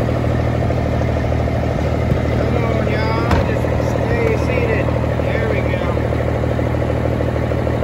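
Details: Freightliner FLD120 with Cummins M11 diesel after new fuel water separator cured air in fuel lines: loud, steady idle, about three pulses a second, no stumbling; running smoothly.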